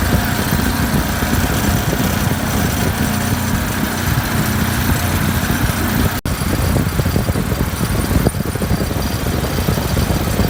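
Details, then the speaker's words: Refrigeration compressor with heavy, steady buzzing vibration and rattle; net oil pressure only about 20 psi versus the usual 30–40, though Coresense reads good pressure; headmaster suspected of not bypassing the condenser coil, cause still under investigation. "Looks like I've only got about 20 psi net oil pressure I'm used to seeing 30 or 40 on these compressors"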